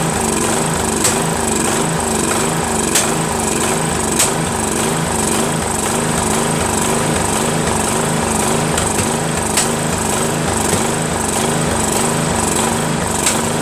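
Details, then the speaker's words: Craftsman 13.5HP mid-engine riding mower, replacement engine repower, first start after new starter and battery: rough single-cylinder chugging with sharp pops, surging and backfiring; owner suspects key sheared when banged in, timing slightly off. "oh boy oh boy oh boy has a lot of backfiring as you can hear I have a feeling that the keyway is not right because when I put that key way in right I had to basically bang it in so I think it might have sheared it a little so I think the timings off just a little bit"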